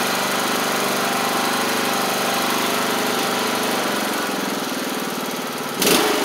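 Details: MTD Craftsman LT1500 riding mower after engine swap, new blades fitted: steady, even single-cylinder drone with blades spinning, no knocks or misses; runs healthy under deck load.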